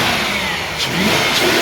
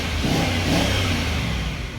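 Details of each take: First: 2003 Range Rover HSE engine idling smoothly after replacing ignition coils and spark plugs to fix a misfire; even, steady rev with no stumbles or misfire, though the service engine soon light stays on with no code stored. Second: 2003 Range Rover HSE V8 revs and settles with an uneven, stumbling misfire that appears once warm (fine on cold start); the check engine light is on but a basic reader shows no codes; ignition coils and spark plugs are being replaced.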